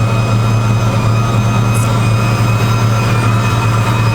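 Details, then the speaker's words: Chevy Avalanche bought as non-running scrap truck (no power, clogged cats, burned wiring): steady thin whine from the rear over engine drone; unsure whether exhaust or an evap leak, cause unconfirmed. "it's got a pretty gnarly whining noise coming from back here yeah"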